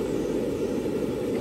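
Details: Junkers/Vulcano gas water heater after repairing its no-spark ignition: steady, even whooshing roar of flame with no popping, sputtering or cutting out; burner lit and running normally.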